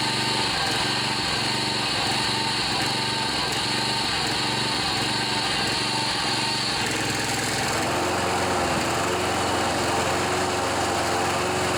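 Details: John Deere 14PB self-propelled mower, Kawasaki 5.0 hp OHV engine, after carburetor cleaning and rebuild with plugged jets cleared: small single-cylinder engine buzzing at steady high speed, even and unbroken. Running normally.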